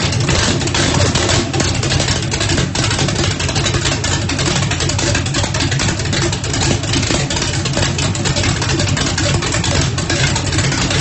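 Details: First start after rebuild, 1800 hp turbocharged small-block Chevy in Mustang, methanol fuel, Lil John's cam, primed with brake clean: loud choppy idle with regular uneven cam lope, no knocks or misses; healthy.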